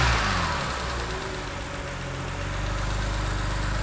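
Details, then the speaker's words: BMW 330i auction non-runner after coil swaps, misfire thought to be a cylinder five plug not seated properly: steady idle and slow revs to about 2,500 rpm with even firing and no misfire; running properly. "just that's the 2 and 1/2k there that's not misfiring now that is it I think it was number five like the the plug wasn't on prope"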